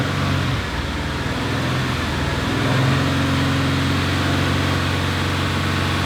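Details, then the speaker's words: Subaru STI after flood-and-fire rebuild, near operating temperature, no scan-tool codes: smooth, even idle rising cleanly into a rev and settling back, no knock, tick, rattle or vibration; normal idle and revving. "Good. No vibrations, no noises. Check what it looks like outside."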